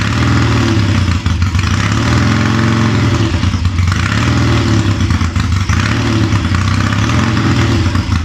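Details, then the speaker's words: Triumph Tiger 90 350 with electronic ignition, first cold start after rebuild: revving up and dropping back with an uneven lumpy beat and sagging pickup; ignition timing out, carburation probably slightly off. "oh the oil's coming back and it's oh W time is out timing definitely feels out carburation is probably a little bit off but but it starts easy off a kick"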